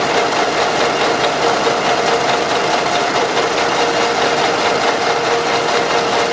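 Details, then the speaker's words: Running engine, oil rarely changed, heavy blow-by; owners reported strong knock in the engine or near the head: fast, slightly uneven light ticking about two per second over steady idle, from camshaft axial end play; pressing the cam with a hammer handle stops it. "сейчас проверяем осевое смещение распредвала он тоже бывает стигма так стучит"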